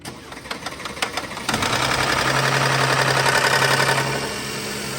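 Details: Mercedes-Benz Maybach S-class W222 with M276 engine, over 300,000 km. Cranking, then a cold start with a loud rattle over the rising idle that eases after a few seconds; also slow to start. Cause is timing chain and cam adjusters, to be fixed by replacing them with engine removal.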